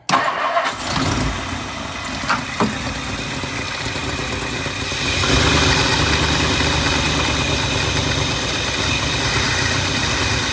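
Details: 1959 Lincoln, start with a new ignition switch: the engine cranks on a starting fluid other than ether, catches briefly and tries to idle roughly; fuel delivery problem getting worse.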